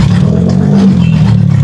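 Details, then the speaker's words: Rusi Chariot 175 motorcycle, not yet tuned up, engine otherwise said fine: short idle with light quick ticking clatter over the low engine note; valves noisy, valve tapping. "Yung tunog niya medyo may lagat ng konti doon sa bagula."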